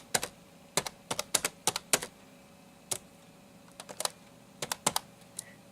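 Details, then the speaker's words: NEC Versa 6030x laptop keyboard (Pentium 133, 16 MB memory) being typed on; crisp, even key clicks come in quick bursts with no sticking, rattling or dead keys. Normal keyboard typing. "just uh type some so there you go that's some basic typing you can hear what the keyboard sounds like sounds pretty darn good for a laptop keyboard"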